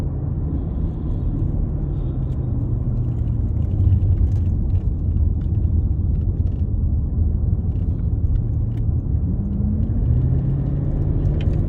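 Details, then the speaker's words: Mercedes-Benz CL500 (C215) V8 on the road before its registration inspection: a steady low droning hum under the engine rumble at around 1500 rpm. The owner can't name the cause yet and it is to be looked at. "I think it has that um issue with the I'm not sure what it's called but it's got like a hum at around 1500 rare probably can hear it so that's going to be looked at"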